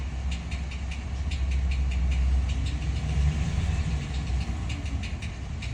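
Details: 2014 Ram 1500 with 5.7 L engine at idle: sharp, light ticks about three a second, slightly uneven, over a low steady idle rumble; ticking at idle, source undetermined.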